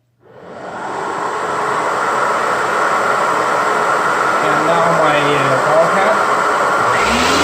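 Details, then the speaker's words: Electrolux vacuum cleaner, power head plugged in: motor spins up within a second to a smooth even roar and holds steady; now working. "and now you will see that this thing is actually working"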